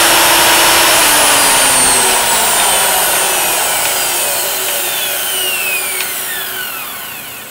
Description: Ticking or clicking sound from Makita 2012NB planer can be heard as machine winds down after being turned off.